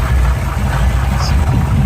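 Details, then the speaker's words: 1971 Chevy pickup with points ignition, power steering and brakes, idling: deep steady even burble, no knocks or misses; runs nice and smooth, though a belt squeal and a little exhaust noted afterward. "Power steering, power brakes. That really runs nice and smooth."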